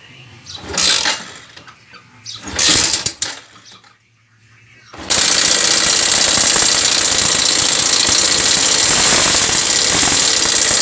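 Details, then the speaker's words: Yamaha SZ 150 single, timing chain and tensioner already replaced, running with a fast, harsh metallic top-end clatter: broken compression-release (decompressor) stopper lets the weight strike underneath, leaving scratch marks. "Tumatama siya sa ilalim kapag pumalo siyang ganyan. Oh ayan ah. Ito yung sobrang ingay guys itong compression release niya."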